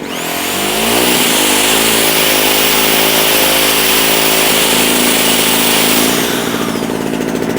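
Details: JCB two-stroke generator, unused for a couple of years, restarted and putting out about 200 volts; high buzzing note holding steady under load, then dropping off at the end; running fine.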